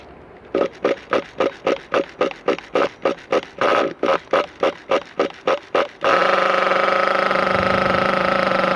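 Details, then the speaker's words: Thunder Tiger EB4 S3 nitro RC car in cold weather, started with the air filter off and a drop of fuel in the carb. Pull-start bursts, then a steady, even high buzz without misses: a healthy idle, much quieter than the S2. "And you can already hear how much quieter this one is compared to the S2."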